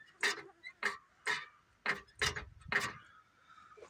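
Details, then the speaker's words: 1985 International truck transmission with PTO removed, turned by hand; six hollow metal clunks about one every half second, owner suspects broken clutch brake in clutch, not confirmed; metal clunking when turned by hand. "when I move it it does this Oddball sound which is not good I guess that sounds like it's coming from the clutch that can't be good"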